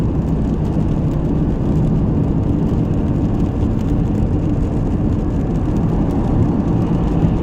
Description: There is a strange humming noise coming from engine/front of my car. However I was unable to locate where it is exactly coming from. I can hear it from 15 km/h but most clearly at around 80 km/h.